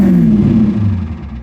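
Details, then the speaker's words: 1989 Ford F-350 7.3L IDI diesel, cold start after ATF soaked in the fuel system for a stumble-and-stall-off-throttle issue: throttle snap revs up, then falls smoothly back to idle with no stumble or stall; normal return. "well, that time it actually did okay. There we go."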